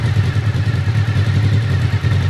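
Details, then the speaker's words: 1991 Honda VFR750F RC36 V4 at idle after loose exhaust joints were tightened: steady, low, even throb with the earlier popping leak at the front gone; sounds better than before. "It definitely sounds better than it did before."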